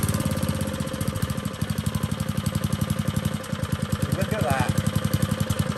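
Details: Old Tecumseh four-stroke edger engine gives a fast, steady putter with even firing, no misses or surging; normal running after carburetor adjustment.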